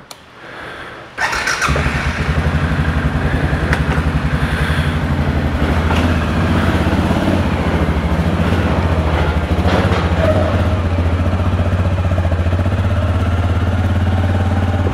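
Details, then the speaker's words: 2007 Suzuki King Quad 750, reassembled, run without air filter, recorded from inside the rider's helmet: brief crank, clean catch, steady even single-cylinder thump; normal start and idle before a yard ride. "all right guys we got the quad back together no air filter again we're in my helmet so this might be loud"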